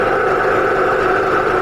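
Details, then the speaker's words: Husky Pro belt-driven air compressor, bought new 2007, repaired after 3–4 years idle, building pressure under load toward factory 135 psi cutoff: steady even drone from motor and pump, no knocking or squeal; working great, motor and pump staying cool. "So as of right now, it seems to be working great. The motor's staying cool. Pump is staying cool."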